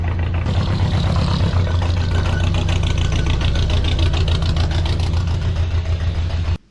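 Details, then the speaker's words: Weird Beard car pulled into the shop; uneven, loping idle with a lumpy low pulse about 3.5 times a second, down a cylinder. A spark plug was pulled to investigate. "so we seem to be down a cylinder for some"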